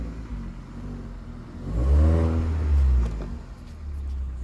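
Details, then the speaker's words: Hyundai Solaris fitted with a Kia Ceed GDI variable-geometry intake manifold, flap knock removed by software calibration, phone recording: engine climbs smoothly through a blip and settles to idle, no flap rattle or clatter; normal revving after the fix. "Ну надеюсь понятно да и сейчас прям ровно что никакого звука даже нету"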